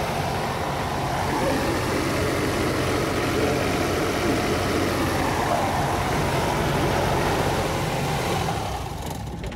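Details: Cummins Onan 10k QD quiet diesel RV generator, briefly run with the top off after oil, fuel filter, air filter, belt and coolant service: a steady, even diesel clatter with no knocks or misses. It runs normally.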